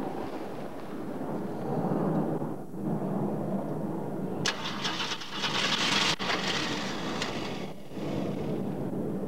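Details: Ford Maverick cranking but not starting: starter churns steadily at about four beats a second with a rough wash of noise, but the engine never catches and runs.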